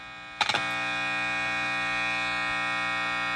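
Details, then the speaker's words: Vintage Gibson BR-9 tube amp, volume control feeding straight to the power tubes: a few clicks, then a loud, steady, bright mains buzz that persists with both input tips grounded; the noise comes from inside the amp. "but even with the tips grounded, you're still getting some of that noise."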